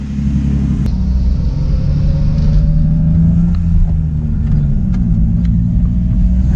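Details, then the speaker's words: BMW E30 on the move. A steady, low road rumble has scattered hollow knocks underneath, coming from the loose exhaust line swinging and striking the suspension control arm. "La ligne, comment elle bouge en dessous. T'entends le bruit là? C'est la ligne."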